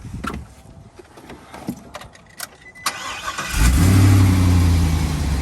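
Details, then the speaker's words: 2019 Isuzu quad cab truck, 1,942 actual miles, stored inside since new: clean crank that catches quickly, then a steady, even idle with a low rumble and no knocks or misses. Normal start and idle. "Sounds really good."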